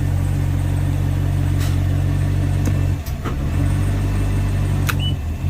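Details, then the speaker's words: Volvo Penta 6.0 marine engine, low hours, warmed after head gasket install, shifted from idle into forward: steady low idle, soft clunk and short dip as gear engages, then settles; clean shift. "let's shift it see if he shifts"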